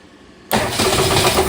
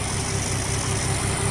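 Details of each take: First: 1962 Ford Falcon with freshly swapped replacement engine, running rough at first start: tinny, echoey knock on each revolution that gets louder as the engine rotates, suspected to be something hitting the oil pan. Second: 1962 Ford Falcon with a freshly installed replacement engine (old one developed rod knock) and new oil: smooth, even low idle with a faint valve-train tick that can be tightened. No knock, and the muffler is audible; a normal idle.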